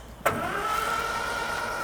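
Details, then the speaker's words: Morris Minor parked 21 years, new battery fitted, out of gear, first cranking attempt before plugs or fuel are added: steady, even spinning with a whirring starter tone and no binding. It turns over freely, though no fuel pump clicking is heard. "Well, it turns over."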